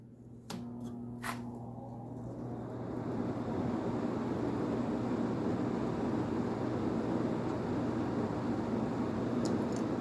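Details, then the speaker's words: Fedders AirTemp 7.5K casement air conditioner, ex-kitchen unit, started on low fan drawing about 48 W, 0.39 A; switch clicks then soft steady fan rush, really quiet; normal running on low fan. "it's really quiet this was used in a kitchen so it's probably covered of cooking grease"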